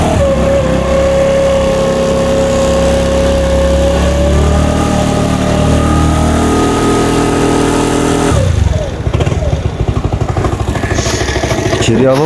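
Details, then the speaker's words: New-body fuel-injected Cappuccino 50 scooter after moving the pickup sensor away: uneven revving, then ragged lumpy idle with irregular knocking and smoke. "arkadaşlar motorumuzun eee üzerindeki okuyucuyu uzaklaştırdım şu an motorumuza garip garip sesler geliyor"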